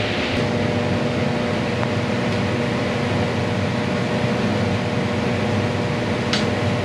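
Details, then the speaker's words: Condo furnace during routine maintenance, blower drawing 4 A, total 5.2 A: steady blower rush with constant low buzz from loose cabinet screws rattling; tightening the screws made the vibration go away. "yeah yeah probably tighten tighten the screws up you know we tighten that that vibration went away yes wow"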